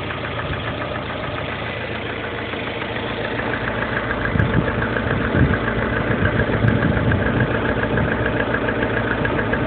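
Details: Lada Kalina 1.4 16-valve engine at idle: light knock tapping about three to four times a second, slightly louder midway; engine knock, cause unknown.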